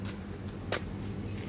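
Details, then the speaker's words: Horn, previously adjusted, failed again next day: pressing gives only a couple of faint dry clicks, no tone; horn clicking instead of sounding, adjustable via rear Phillips screw but adjustment doesn't last. "jadi kalau saya pencet seperti ini nih nih jadi cuman bunyi cetung-cetung doang"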